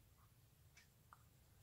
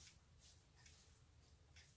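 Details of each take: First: Hermle 451-050H floor clock mechanism after beat adjustment: soft, light ticks about every half second over quiet room hiss, very even impulse from left to right swing, timer shows about 0–3% error, clock in beat. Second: Hermle 451-050H clock movement, deadbeat escapement, during beat adjustment (error cut from 80% to about 20%): soft ticking about two per second with slightly unequal tick-tock gaps; still a little out of beat.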